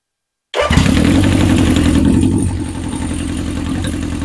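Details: 1977 Honda CB750 chopper during a four-carburetor sync, with the slides on one linkage and the lock nuts removed for adjustment: starts on the first crank into a steady, even four-cylinder idle with no misfire or hunting.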